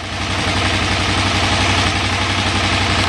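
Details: 2008 KTM 990 Adventure, warm and in neutral, after reconnecting the neutral/second/third gear switch: even, steady twin-cylinder idle recovering toward 1450 rpm, no hunting or stumbling. Normal idle; owner suspects the ECU's gear-switch logic.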